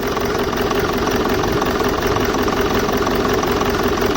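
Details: BMW E65 4.4D V8 diesel (242 kW) with twin EDC16C31 ECUs: lumpy idle loping about three a second, like four cylinders firing. Only four injectors working, injector 7 deactivated. Misfire on half the cylinders.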